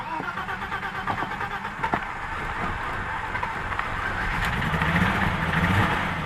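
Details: BMW M20 first start after installing a new head with 274 cam, 19 lb injectors and Mark D chip: even starter churning at about four beats a second without the engine firing; crank, no start, no ignition.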